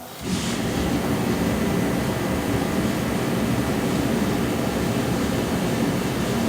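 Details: Forced-air shop heater during a Jeep 4.0 engine rebuild: a roar of air builds within half a second, then holds steady and even; the heater is starting and running normally.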